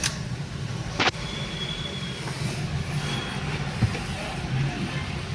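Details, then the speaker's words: Honda car (GM model) after replacing a wrong ignition coil fitted from another vehicle, idling in gear with headlights and AC on, handbrake up: steady smooth idle hum, no misfire jerks or rocking as before. "अभी गौर से देखना कोई झटका नहीं है इसमें पहले य गाड़ी ना आगे पीछे हिलती रहती थी खुद ही"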